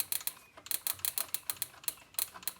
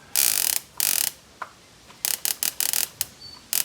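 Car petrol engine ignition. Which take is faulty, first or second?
second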